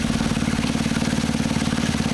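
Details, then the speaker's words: Honda WX15 1.5-inch water pump, restarted after sitting three years, primed and pumping water through a restrictive spray bar at idle. Even, low putter with a firm beat and no knocks or misses; normal idle under load. "I'm just going to pick up the camera and sort of show you the water flow here running at idle."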